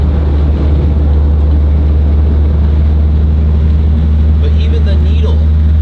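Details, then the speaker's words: Chevrolet SS sedan cruising, heard from the cabin with the mirror and needle shaking. A heavy, deep booming drone; the owner blames a driveshaft bought in a rush and says everything vibrates, while heading out to get new tires fitted. "the needle shakes everything literally shakes on this thing like look at the mirror it sounds crazy back sounds crazy"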